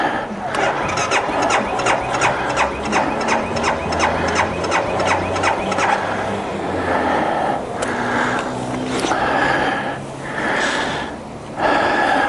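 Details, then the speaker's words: 2012 BMW Sertao G 650 GS at 3150 miles, 40.9°F outside, ongoing sixth-time starting issue: starter churns in quick regular pulses about twice a second for several seconds without catching; cranks but won't start, cause unconfirmed (decompressor lever suggested). "And Barbie wants to be a bitch. She's in a I don't want to start mode."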